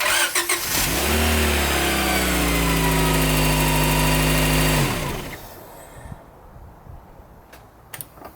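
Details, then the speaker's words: Honda Prelude VTi 5th gen H22A5 2.2 VTEC on first test start after replacing the seal, water pump and hydraulic tensioner: steady whirring rub about four times a second until shut off; timing belt rubbing the balance belt idler. "Je constate alors que la courroie de distribution vient frotter contre le galet de la courroie d'équilibrage."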